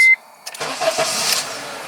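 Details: 2004 Honda CR-V 4WD after fuel pump replacement for an intermittent long crank or no start: short chime, brief crank, and the engine catches at once with a smooth hiss and settled idle; starts cleanly.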